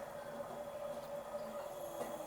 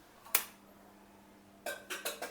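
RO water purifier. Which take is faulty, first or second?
second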